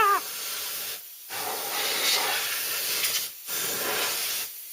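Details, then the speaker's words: Ford Cortina Mk3, Dinitrol cavity wax sprayed into the doors with a spray gun: steady airy hiss in bursts of a few seconds with short pauses, spraying evenly with excellent coverage. "coming out now absolutely fantastic coverage Wow better than I remembered"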